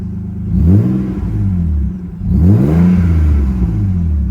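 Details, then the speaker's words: 1991 Nissan Laurel Medalist Twin Cam, light throttle blip; rises and falls cleanly and smoothly with no knocks or rattles; healthy engine. "Nice. Nice and smooth. Good engine note for sure."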